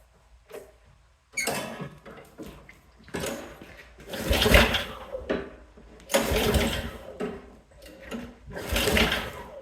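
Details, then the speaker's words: Yard-Man snowblower that won't start: repeated pull-cord cranking bursts, each dying without catching; later traced to a bad carburetor, with carburetor, spark plug and primer bulb replaced. "It will not start, and so I'm going to show you a few things to check if your snowblower won't start."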